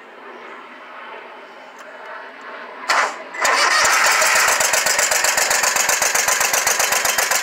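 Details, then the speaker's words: Scag Tiger Cat II zero-turn with Kawasaki FX691V, choke sticking, running on one cylinder: catches after cranking and runs with a lumpy loping beat of about four pulses a second, blowing black smoke; misfire. "right now we're just going to Crank It Up running on this one cylinder and I'll show you what it's doing"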